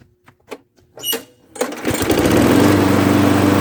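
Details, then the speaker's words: Craftsman mower with a 6.5 hp Briggs & Stratton flathead engine, after the low rpm was raised by bending the speed tab: a few starter pulls, then it settles into a steady, even buzz, running much better than before. "Now that's better. That's running a heck of a lot better than it used to."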